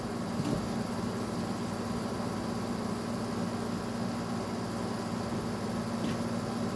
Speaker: That compressor sounds just fine. Nothing out of the ordinary with that.